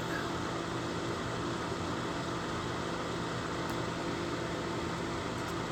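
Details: Lasko 1500 W, 12.5 A plug-in electric fan heater with thermostat, cold air in top, hot air out bottom, on concrete block over gray rug; smooth even airflow with faint steady hum, no rattles or scraping: normal operation.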